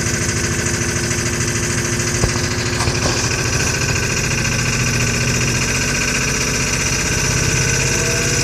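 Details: 2000 Ford F550 7.3 diesel, about 60°F, owner says it needs new injectors: uneven lumpy idle with irregular knock and no steady beat after a hard start; rough idle, injection trouble suspected.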